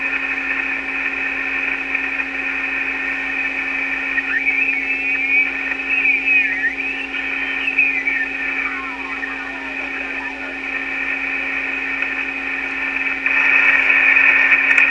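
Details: Yaesu FT-101 receiver after power switch repair, line filter capacitor and fuse lamp replacement, tuned to lower sideband: steady hiss with warbling sideband voices drifting in as it tunes; receiving well, internal speaker sounds a little rough.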